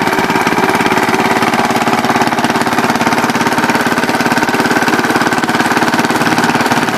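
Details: Original 1963 Cub Cadet single-cylinder on its first drive after clutch work (the clutch bearing had run locked up) with a stack fitted: even, steady thump with no misses or knocks; normal running.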